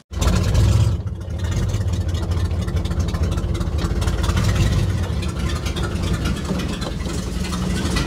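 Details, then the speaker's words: 1960 Chevrolet Impala V8 that sat 30+ years and was just driven 2,556 miles, carburetor already taken apart twice: lumpy, uneven idle that shakes and nearly dies in gear; rough idle, carburetor or points dwell suspected. "put it in gear dies at idle almost shakes a lot it's idling crappy"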